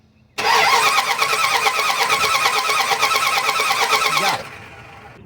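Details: Dodge Ram 1500 5.2 L that shut down while driving: starter cranks evenly about four seconds at roughly three turns a second, never catches; crank no-start, spark tester confirms spark from ignition coil to distributor; fuel and compression still unchecked.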